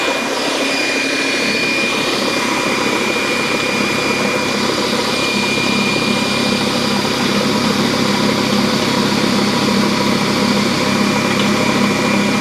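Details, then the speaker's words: DeWalt D55146 oil-free air compressor that won't build pressure, switched on: loud harsh continuous clatter with a steady high whine over it, far rougher than normal; problem inside the motor assembly, cause suspected, not confirmed. "Obviously that is not sounding so hot. Something's going on inside the motor assembly here."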